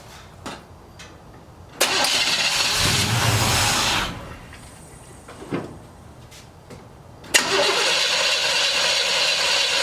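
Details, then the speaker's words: Holley-carbureted engine after replacing an oversized 9.5 power valve that flooded it with a slower one; bursts of cranking while the empty float bowl fills, then catches and holds a strong steady idle, now about 1200–1300 rpm versus normal 900. "Okay, well that went pretty good. Started up pretty good there. Seems like the idle is up a little high now."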